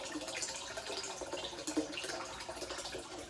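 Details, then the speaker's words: Osone Pro Chiller connected through a 40 mesh filter to a cold plunge, at chiller switch-on: soft, steady splashing and trickle of water flowing continuously into the tub, no gurgle or pump strain; flow normal. "So when you turn on the chiller, you should immediately hear water flow into your cold plunge."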